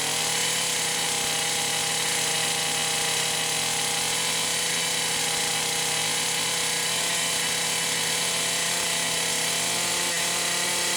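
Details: Poulan Pro 525 chainsaw (essentially a Pioneer P52) with governed carb, carburetor gasket issues repaired: small two-stroke holds a fast, steady high buzz that won't settle to a slow idle even with the idle screw fully backed off; cause unknown, rev-limiting coil suspected.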